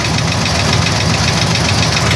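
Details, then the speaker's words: 1980 Chevy at idle, recorded from underneath: loud steady idle with busy ticking over the engine note, no rev change; owner suspects the torque converter; an oil change did not help; cause unconfirmed. "there's a clicking noise coming from what I think is the torque converter"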